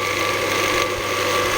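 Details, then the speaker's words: Scheppach DMS 900 lathe after pulley and bearing replacement, pulleys shifted to the fast drive: steady high-speed whirr with a busy, chattering rattle over it, source not yet found. Rattle at high speed. "all right if I can just find out what that rattling is uh should be in good good shape"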